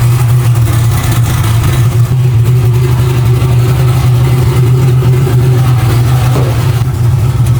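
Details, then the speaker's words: Nova V8 on pump gas with a tune that isn't dialed in, low battery voltage with cranking issues: loud, deep idle with an uneven, lumpy beat; rough running blamed on the fuel and tune. "Yeah, she's still not running super great. Um, it is on pump gas right now. That's why it's it's not happy. That tune really isn't like super dialed."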